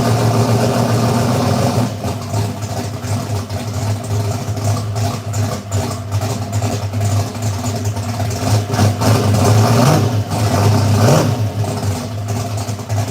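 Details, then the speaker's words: V8 idling at about 800–850 rpm after the header leaks were fixed, with timing at about 35–36 as specified. A lumpy, loping idle with an even exhaust beat and no header ticking: normal idle. "boys all right I think sounds good man yeah that thing that Wasing about 800 850 uh header leaks are gone"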